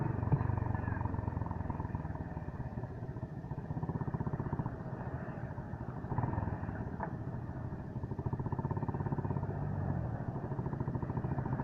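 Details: Suzuki Gixxer motorcycle running with a fast, dry chattering rattle over the engine note; noisy drive chain, owner seeking advice, cause not pinned down.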